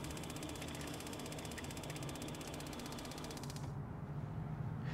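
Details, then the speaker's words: Aero Teardrops external shower propane water heater with 20-gallon tank, just activated: rapid steady igniter clicking over low water rush, normal while air bleeds from the system before propane ignites. "Right now, because we just activated the system, it's working the, you know, the air out of the system. So that's why you hear the igniter clicking over so much."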